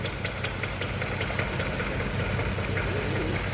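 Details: 2015 Range Rover Sport V8 idling unevenly with a repeating tick-and-stumble, cylinder 5 misfire after engine replacement; diagnosed as compression loss from a burnt valve, confirmed on teardown.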